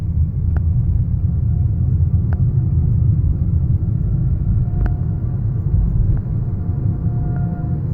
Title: 2015 Fiat 500e scraping noise from front wheel